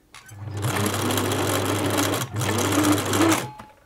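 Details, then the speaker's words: 1980s Singer Futura sewing machine running fast: harsh clattering rattle over the motor hum from a dry rotary hook on the bobbin case; a drop of oil there made a huge difference. "you might be able to hear the hook on the bobbin case here very noisy"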